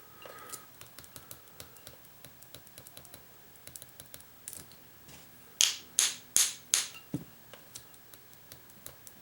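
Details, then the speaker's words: 1994 Saab 9000 fuel injector on a bench test kit after cleaning and new seals: faint, uneven ticks where the coil or relay is heard but the solenoid does not open. It was later freed by pressure and tapping the terminal. "no clicky click i hear the relay in it but the actual solenoid is not opening"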